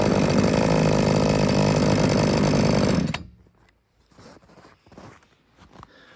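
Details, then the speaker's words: Little Beaver TCS4600 chainsaw, brand new and just unboxed, started after purging fuel, choke pushed in and running at high idle to warm up and break in for about five minutes; a steady, even, high-pitched buzz, a smooth, healthy fast idle. "let it run on high idle, chokes in. I'm gonna let it warm up for, well, at least a good 5 minutes while I get my gear on. Let it break in."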